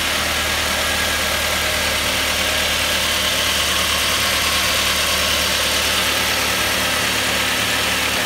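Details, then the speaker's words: Mk3 Ford Mondeo at idle after replacing a noisy air con compressor: steady idle with hiss over the engine but no whine; accessory drive quiet and healthy. "lovely i cannot hear no wines now can you hear any whining andy"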